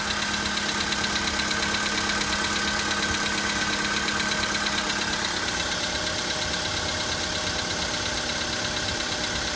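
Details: VW Polo sedan, 53,000 km, running with a fine, regular tapping under the idle, roughly three beats a second; a knock from inside the engine, cause unknown.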